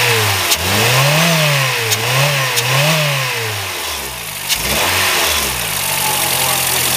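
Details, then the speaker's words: 2007 Honda Fit, 200,000 miles, hesitation at 60 mph, valves likely never adjusted; revs rise and fall unevenly with stutters and dropouts after one original ignition coil was replaced; misfire, another coil suspected. "yeah stutter stutter stutter stter stter take take it off and try the second one maybe"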